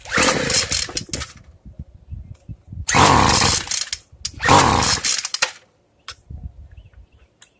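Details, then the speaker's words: Free two-stroke weedeater, carb fuel screw being closed gradually after over-richening: short revving bursts that repeatedly die to silence; won't keep running until mixture is reset. "And right now I'm just closing it little by little till I can get it fired up."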